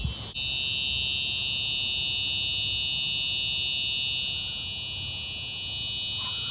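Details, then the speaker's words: Simplex fire alarm system (4004 panel, 4903-9425 TrueAlert horn/strobes, 4099-9001/2099-9754 pull stations, 2098-9201 smoke detector) tested on continuous, heard from outside the building: loud, piercing high-pitched horn sounding nonstop without pulsing, until silenced. "Wow, that is one loud alarm. Let's go back inside and silence that."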